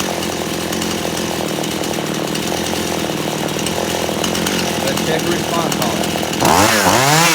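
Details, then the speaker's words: Poulan Pro chainsaw held wide open during high-speed screw adjustment: steady high buzz, revs swing sharply near the end; turning screw out bogs it down, turning in slowly clears it. "so I had to go in I had to turn it in when I turn it out you can hear it start to Bo down a little bit and then I started to turn it in slowly until it cleared out"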